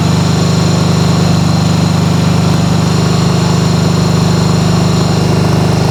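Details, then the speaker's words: 1995 Harley-Davidson Sportster flat tracker project, start on choke: steady, even thumping at a raised high idle, both cylinders firing cleanly; normal fast idle, though carb cleaning is still needed. "so a little bit of the choke in so it sounds like it's a high idle right now but needs a carb clean next but both are running so we are good there"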